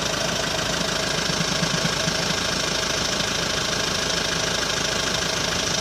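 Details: Hyundai ix35 diesel, cold engine warming up at idle: steady clatter with hard knock about twice a second; knock appears only when cold, disappears after warm-up, dealer could not find cause.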